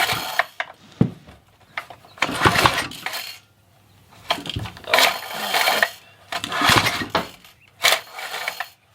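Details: Craftsman pressure washer, dead 4 years and sitting 2 years after a failed repair attempt, pull-started during a spark check: repeated cord pulls, each a quick rattling spin-over that dies away; never fires; cranks but no start.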